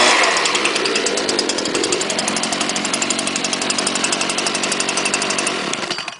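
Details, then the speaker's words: Leaf blower made November 2010, started on choke with primer, gives a crisp, even buzz with steady pulses, then a clean wind-down; runs like a champ. "all right put on choke prime it and pull away runs like a champ"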